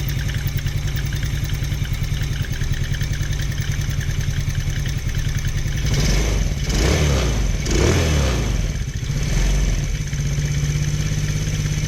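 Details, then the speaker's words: Taotao 125 on a chilly day, cold start just after choke removed, fresh oil change: light fast top-end clatter through idle and revs; not from bottom end, source unknown, typically goes away once warm. "Nice and quiet. It almost sounds quieter than the other one. It definitely seems to make some kind of noise on the top end though."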